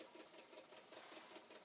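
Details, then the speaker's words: Possibly flood-damaged Commodore C2N datasette winding a tape: quick, uneven clicking and clunking several times a second as the counter moves; owner unsure if something is wrong inside or it needs a workout or lubrication. "now meanwhile the tape drive is clunking away here and is that because there's something wrong inside is it clunking like it's moving the counter is moving the tape is rewinding maybe it too just needs a little workout"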